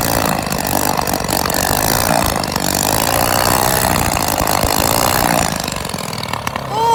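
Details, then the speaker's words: Old engine that sat unused for years, started with a drill, runs with the exhaust removed: a harsh, very loud raw roar held steady about six seconds, then shut off at the switch. "it sounds like a beast shut her off this switch right here"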